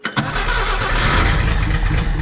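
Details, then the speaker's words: 1962 AMC Rambler wagon, sat over 50 years, first start after sanding ignition points: catches instantly, then runs lumpy with dropped pulses; still has a miss, possibly from a bent pushrod. "let's pull this guy out definitely still has a miss"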